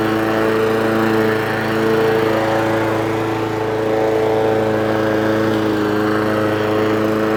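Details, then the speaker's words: Old Mountfield mower with Honda engine after full service, running off choke, possibly not fully warm: steady, even single-cylinder drone at constant pitch with no misses or surging; pulls strongly; running cleanly and healthy. "I dare say it wants a really good run as well. But it pulls like an absolute train. Lovely mower."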